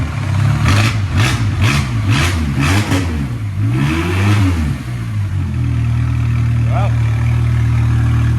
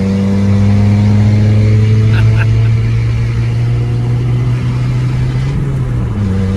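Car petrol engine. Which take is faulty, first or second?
second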